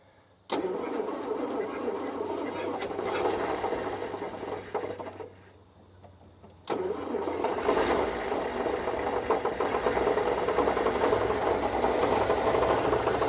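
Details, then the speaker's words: Roughly 1952 Austin truck, 6-cylinder petrol, sitting maybe 18-20+ years, gravity-fed from a roof tank: brief cranking, then it catches and settles into a steady run with a busy old-motor rattle; owner may hear a slight miss. "Well, if it wasn't on video, I wouldn't believe it either. But that's it. That's after, it could be longer, 20 years."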